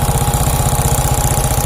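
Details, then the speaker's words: Shogun 125 motorcycle, smooth when cold but rough after 5–10 minutes warm-up, valves already adjusted: fast, even ticking rattle about twenty clicks a second at hot idle; cause still unknown, valve area to be dismantled. "Hai mungkin teman-teman dengan reaksi ini ketika waktu mesin panas bunyinya ngecek kretek-kretek kayak gitu ya"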